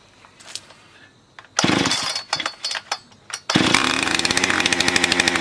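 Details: Husqvarna 460 chainsaw, damaged by customer's cheap 2-cycle oil, after new piston and cylinder and air filter: quiet start, a few blips, then it catches and holds a fast, crisp buzz at steady high revs; healthy run.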